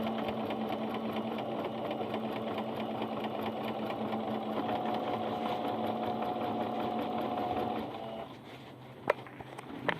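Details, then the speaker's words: Singer Starlet 6680 sewing machine after cleaning out lint that had caused a noisy, loose stitch, on the same settings: even, quick stitching rhythm with steady hum, no rattles or knocks; clean and quiet. "página estão assim máquina limpa e sem barulho"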